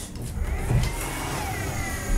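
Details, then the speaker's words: Small 1-gigabit data-center network switch powered on: high whirring whine climbing in pitch as the small stock fans spin up; loud cooling fan noise, unbearable after a while for home use. "je sais pas si vous entendez vraiment ce bruit là. Voilà. Donc en fait c'est tout simplement insupportable au bout d'un certain temps."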